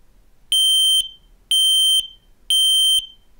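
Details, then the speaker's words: X-Sense XP0A-SR combined smoke and carbon monoxide alarm with voice alarm, running its self-test: three loud, shrill half-second beeps, one a second, with a spoken test announcement; normal test siren working as it should. "jetzt fahren wir mal den Test durch dies ist nur ein Test der Alarm ertönt laut sie können die Taste Test stummschalten drücken um den Test Test des"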